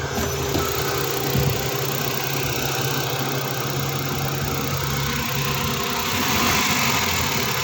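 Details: Suzuki DA64 with K6A engine, check engine light, scanner shows cylinder 1 misfire: uneven, lumpy idle with irregular stumble about four times a second; coil or plug checked, burnt spark plug causing the misfire.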